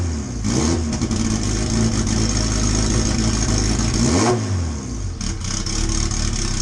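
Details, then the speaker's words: Honda EK hatchback with LS/VTEC engine on Hondata, just started on a base map with no fuel trim tuning; idle hunting, lumpy and stumbling between blips, smoke and raw-fuel smell, running rich; fuel pressure gauge fitted. "so I see we got to run it all the smoke you're seeing that's all fuel smells like raw fuel the tune is once again it's just a base map"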